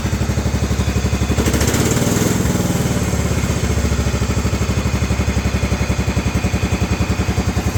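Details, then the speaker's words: 1994 Cub Cadet 2135 riding mower running after about 36 years unused, carburetor cleaned, choke pulled, throttle moved up: even, steady low chugging with regular firing, no misses or knocks; runs smoothly. "So, it's running. After 36 years. 36 years of this mower not running. And it's running."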